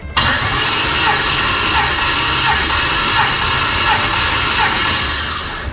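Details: LS-swapped Dodge Dakota V8 after sitting a year, Terminator X disconnected, cranking during compression test: steady, even starter whine with no catches or knocks; compression about 160–180 psi, owner thinks no bent rod; normal cranking.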